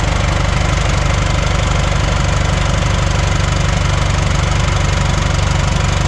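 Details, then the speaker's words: Coach "Brutus" (model 1410) diesel idling after replacing the 24V fan drive solenoid, air system at 0 PSI; fan clutch stuck open so the fans stay on. Even idle about three beats per second under a constant cooling-fan roar, no extra noises: normal idle with fan engaged. "The fan is gonna be on, so it's because there's no air in the system now. Let's see. Look at that. Sounds like Mary. You don't hear no extra stuff."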